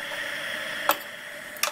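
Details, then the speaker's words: Power Mac G4 Quicksilver running Mac OS 9.2: two sharp ticks about 0.75 s apart over steady high whine; hard drive a little noisy, not too bad. "the sake of the video I'm going to unplug that and then shut ur backup hard drive is a little bit noisy but it's not anything too bad"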